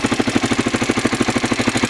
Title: Honda xr600r ticking noise